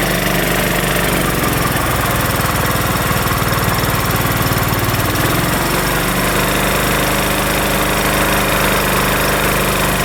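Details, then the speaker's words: Craftsman LT1500 riding mower after a linkage was tightened, plus blade, deck, drive belt and battery work and valves needing adjustment; loud, steady, even engine beat with no hunting or surging, running smoothly at constant speed, sounding far better: normal running. "that sounds Leaps and Bounds better"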